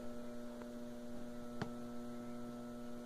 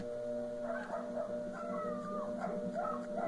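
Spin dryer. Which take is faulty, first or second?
first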